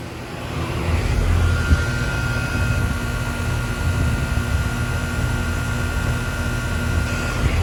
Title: Brand New 2024 Goodman (GSXM4) Central Air Conditioner - First Startup After Install